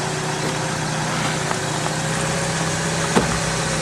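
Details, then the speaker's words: Car idling in cold weather, microphone at the front wheel: a sharp snap from the spring as the steering is turned. A seized, rotted strut top mount bearing is binding the spring, which could eventually snap. "okay so what does this mean well eventually what's going to happen if that bearing seizes long enough you keep turning like this that spring is going to snap off"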